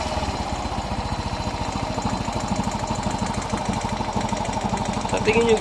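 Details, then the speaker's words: Yamaha Mio i 125 scooter, problem began a few weeks ago, idling: fast light ticking clatter over steady beat; source suspected in cylinder head, rocker arm or block (piston slap), to be found by disassembly. "saan kaya nanggagaling ang tunog naan sa kanyang cylinder head sa kanyang black pone or connecting rin sa kanyang CS tracker arm or kanyang mga Kirin"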